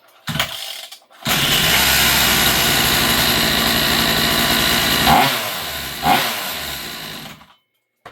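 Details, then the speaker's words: Rovan 45cc two-stroke reinstalled in a Rovan XLT after repair with new clutch carrier: high steady buzz with two quick blips, no misfires or rattles; running good and tight. "Beautiful. Beautiful. So it's running good. It's running good, guys. Nice and tight."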